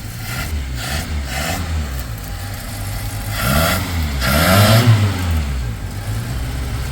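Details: 1980 Chevy Luv truck, abandoned in a junkyard since 1998, after first start: low, uneven idle that lopes and surges with throttle blips; running rough, carburetor float suspected stuck again.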